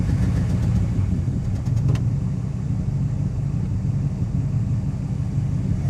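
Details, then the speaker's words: 1966 Plymouth Fury II 318 V8 after tune-up, fresh oil and wires sprayed with contact cleaner: first start gives a deep rumble with uneven, lumpy beat, chugging at low throttle but smoothing with a little gas; cause unknown. "Well, she runs. She doesn't sound like she's running very well, though, guys. Ooh. She doesn't sound good at all."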